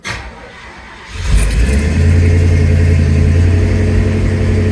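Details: 1971 Oldsmobile Cutlass Supreme V8 on first start with a newly installed Edelbrock 1791 electric fuel pump and new fuel lines. The pump is audible, then a brief crank and a strong, even idle with no misses; it ran fine for 10 minutes.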